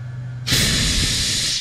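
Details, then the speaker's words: Husqvarna K970 cut-off saw with rebuilt engine and fuel mix problems, air blown through a passage: sudden steady hiss of air rushing through for over a second with no sputter; passage open and clear. "so that means when you blow like that you can hear the air coming out"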